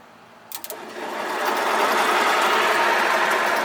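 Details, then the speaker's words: Mini 1–1.5 ton compactor roller electric motor, powered through bigger leads after a small wire got hot. A strained whir builds after a few clicks, pulsing about four times a second, and the motor turns slowly and binds. The owner suspects it is misaligned. "I think this is just misaligned, because whenever I had it tightened down, it wouldn't hardly turn. So we got bigger leads. I think there's just too much force to have to turn this."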